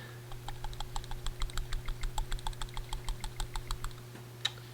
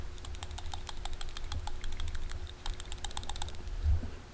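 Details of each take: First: 2001 Honda Insight PCV valve, removed and partly cleaned with brake cleaner, shaken by hand: light dry clicks, ball only faintly rattling, still somewhat stuck; sticking PCV valve. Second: 2001 Honda Insight PCV valve after further brake-cleaner cleaning, shaken by hand: quick crisp clicking as the check ball moves freely back and forth; good to go back in; normal PCV rattle.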